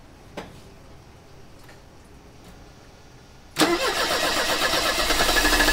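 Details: 1985 Mercedes 190E with KE-Jetronic injection, first start after months: faint clicks, cranks and catches into uneven loping idle surging two to three times a second as air flow disk is adjusted in quarter turns; rough idle.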